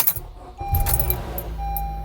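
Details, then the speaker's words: 2013-2017 Honda Accord 2.4 Earth Dreams with about 370,000 miles gives a half-second rattle on cold start, then a steady idle; the cause is a bad cam chain tensioner with a worn check valve (TSB 19-019). "yeah you're probably able to hear at that time learned that issue is the cam chain tensioner there's a little check valve in there that has gone bad and worn out"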